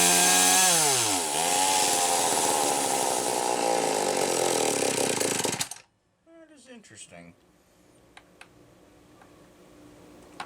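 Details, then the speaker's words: McCulloch Power Mac 320 Auto-Sharp two-stroke chainsaw, carburetor recently loosened: screams high, sags unevenly, then cuts out dead around six seconds; poor running and stalling, carburetor pulse hose found disconnected. "I had to take the carburetor loose and I didn't think any of the hose connections I unscrewed it but I didn't think any of the hose connections had come loose but by god the pulso is here"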